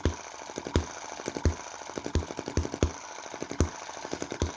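Sharp, regular firing pops with coasting gaps between them, about eighty-five a minute: a hit-and-miss engine running evenly and healthily.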